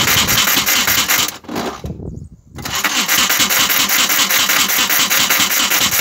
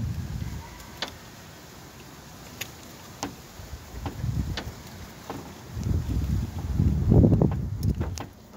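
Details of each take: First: VW Golf Mk1 that won't start, cranking with mist spray: rough, harsh cranking about 2.5 beats a second, stops briefly, never catches; starter misaligned and loosely mounted, owner planning to add second bolt and retard timing to stop backfire. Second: VW Golf Mk1 no-start, listening at the distributor while cranking after a part left off was refitted: crisp snapping ticks about once a second over cranking; spark present again.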